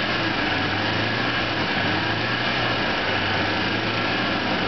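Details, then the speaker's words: 1986 Toyota van, engine hot, newly fitted Napa clutch fan. Even engine note with a constant whooshing fan on top and no knocks or squeals; the clutch fan is about half engaged, exactly where wanted, and working properly. "okay yeah that's it's engaging exactly where I want it to not completely engaged but it's about probably half engaged"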